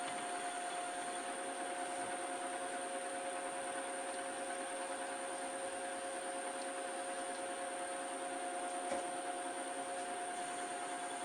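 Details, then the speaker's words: Lathe facing a rusty mystery-metal blank for a new Schaublin SV-51 variator shaft with a low-cutting-force insert and loose, rattling tool post. A thin, steady high whine over faint machine hum, unchanging pitch; whining cut, before oiling helped a little. "It helps with this kind of equipment. It's whining. Horrible sounds. Maybe some more oil."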